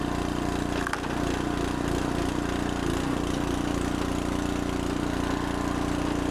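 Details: Fairly new small engine on a traded log splitter that previously wouldn't crank, now restarted while still warm after repair work. Steady, even drone with no stumbles or surging; it is running cleanly.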